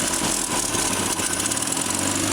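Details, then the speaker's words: Land Rover Series 2 farm find, sat several years in a paddock, first start: steady, even idle with a soft regular beat, no knocks, ticks, misses or smoke; carburetor likely needs a kit. "Just idle. No smoke whatsoever. Good. Beauty. Sounds alright."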